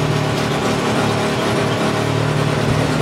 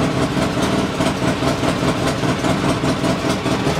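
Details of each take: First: Polaris Sportsman 600 ATV fitted with a different carburetor by a previous owner, before repair, tach not reading: a fast, slightly uneven, chugging idle with a wavering beat, a rough idle. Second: Polaris Sportsman 600 ATV after a loose part was pushed back together and fastened, and a chewed red wire was found: a fairly steady idle with slight unevenness and no popping or backfire, a normal idle though still a little high (target thought to be about 1100 rpm).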